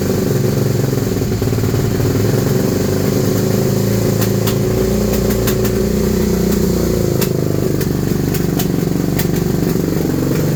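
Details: 2001 Suzuki SV650 V-twin, suddenly misfiring and backfiring; wouldn't start unless the air intake was covered: uneven, stumbling beat with sharp pops breaking through, engine missing and backfiring.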